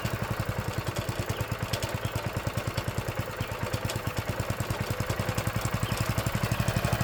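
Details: Old Honda GX engine on a tiller, sat about 6 months to a year: steady, even single-cylinder putter at quick idle, no misses or knocks, slight mechanical clatter; runs fine.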